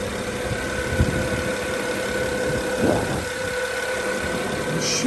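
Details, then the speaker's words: 2010 BMW 535i turbo engine after starter motor replacement, warming idle: rattle has settled into steady, even idle hum with no knocks or ticks; owner thinks earlier rattle was a pre-warm mode; sounds okay. "now this doesn't sound bad it sounds okay maybe it was just like a pre-warm steak"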